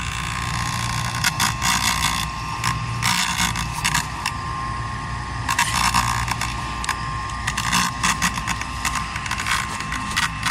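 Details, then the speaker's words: Blower fan of an inflatable Halloween tree: uneven rattling and creaking bursts over a steady fan hum after it stopped running and had to be smacked to restart; fan is failing, replacement planned. "hear yeah fan took a it wasn't running lights are on had to smack it and that's what now was making that noise"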